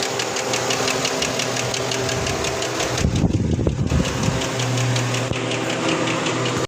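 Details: Chevrolet Tahoe before repair: fast even ticking knock over a steady idle with a brief rattly burst midway; something appears loose, noisy and uneven, cause unconfirmed.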